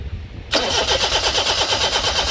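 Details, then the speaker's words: 2004 Daihatsu Sirion crank-no-start: starter spins engine steadily at about six pulses a second with no firing; no engine light and no power to injectors, traced to failed EFI relay. "شکایت یہ ہے کہ engine الٹ جاتا ہے لیکن start نہیں ہوتا۔"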